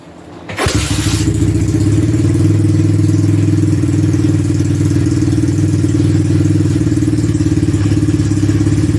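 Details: Ice-cold first start of a newly bought 1986 Honda ATC200X single after cycling the switch and pumping the throttle: short crank, then it catches and settles into an even, steady thump of about three beats a second. Normal cold start and idle.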